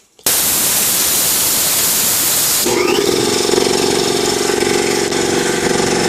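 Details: New Ingersoll Rand TS4N5 80-gallon compressor, 5 hp 230 V motor, 15.8 CFM at 90 PSI, 175 max PSI, cuts in near 140 and off at 170 PSI: a loud air hiss, then an even, steady pump drone with no knocking or rattling; normal running.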